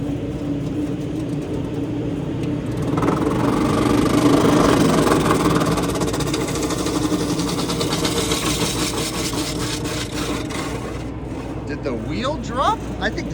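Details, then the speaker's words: Exhaust hood fan on 120 V, not tripped and nothing stuck in it: it spins up with a steady drone and a rough scraping rasp. The wheel appears to have dropped and rubs the housing, and grease poured out when the fan was tilted. "Dude, this whole wheel is hitting the center."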